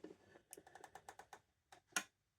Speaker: it switches the lantern off, because it sees the light. So it thinks it's daylight again. And there you go. You can see it in action there. You hear the clicking.